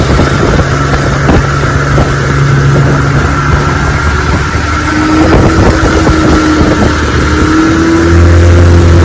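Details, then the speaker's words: 1961 Evinrude 18 hp outboard on a 14 ft boat, cold morning test run at high throttle: note climbs steadily with no matching surge of thrust, revs flaring as the prop spins out. Outboard propeller rubber hub slipping. "know what I noticed it feels like the prop is slipping on it got up to high gear right there and it spun out a little bit"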